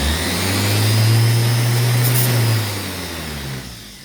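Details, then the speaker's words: GM starter with a bad solenoid, cranked by bridging two terminals with a screwdriver: after the screwdriver is removed, the starter keeps whirring at a steady low hum, then slowly winds down; starter run-on from a sticking solenoid. "as soon as i take the screwdriver off of these two terminals here that should stop instead it's going to keep going"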